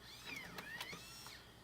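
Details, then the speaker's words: Floppy drive in a Macintosh Color Classic during restoration, ejecting a System 6.0.8 disk: quick, light whirr with a few soft clicks and sliding chirps as the disk pops out; a clean, healthy eject. "And the eject should be fine. Listen to this nice eject sound."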